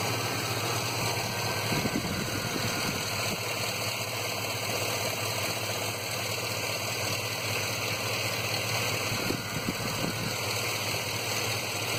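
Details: Petrol engine with P0300 random misfire code idling unevenly with irregular stumble and occasional uneven beats; mostly at idle, sometimes hesitates and sputters on acceleration.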